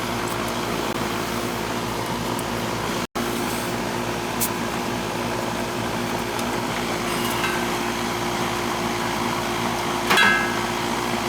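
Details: Three-and-a-half-ton R22 central AC condenser outdoors, after adding refrigerant to about 15 subcooling: smooth, even fan whoosh with steady compressor hum, no rattles or cycling; running normally.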